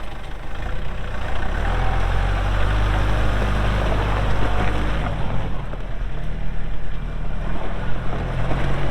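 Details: 2023 Kubota L4701 4WD tractor, 47 HP gear-drive diesel, only 98 hours: deep, steady diesel rumble holding an even beat, no knocks or misses; normal clean, healthy running.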